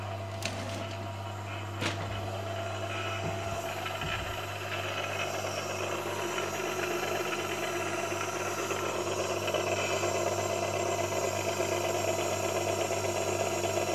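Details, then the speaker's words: Haas VF1 spindle gearbox, low gear at 1200 RPM after refit with polished gears: steady low hum with faint gear whine, gear mesh still somewhat noisy though quieter than before the gearbox was taken off and reworked. "okay so we still got the gearbox noise which obviously we knew we were going to have"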